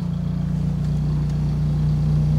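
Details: 2006 Suzuki Swift GL CBU, automatic, parked, idling at about 900 rpm with the AC on, windows open, vents cooling from 33 to about 28.5 °C: steady, even low hum with a smooth unchanging beat, a healthy settled idle.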